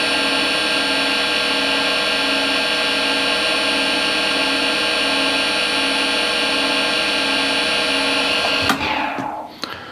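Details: Harvey wood lathe at about 1600-1640 RPM, before changing spindle bearings, measured around 64-65: constant high whine with several steady ringing tones fading on shutdown; spindle noise, bearings suspected.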